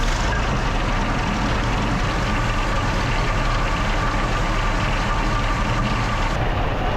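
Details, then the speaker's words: Original WWII Maybach HL230 V12 Panther tank engine during a tune-up, before adjustment; loud, even, fast idle rumble with no dips, clearly above proper idle; high idle speed, adjusted by turning the main accelerator linkage one turn to bring it down. "adjusted the main Yeah. accelerator linkage one turn to bring the idle speed down."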